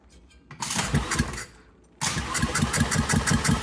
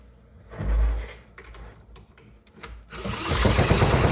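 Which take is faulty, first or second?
first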